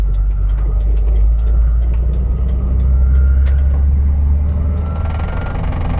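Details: 2001 Jeep TJ running: faint thin whine that comes and goes randomly and drifts with RPM; source not evident.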